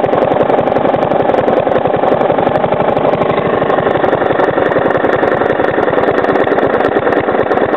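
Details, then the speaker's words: Three-year-old Briggs & Stratton lawnmower engine, fresh oil, first start after sitting all winter, throttled down almost to stalling: steady rapid tapping on the engine beat; owner suspects improper combustion or a worn, loose part. "I'm going to slow the Rev down till it like almost stalls itself out so you can hear the knocking"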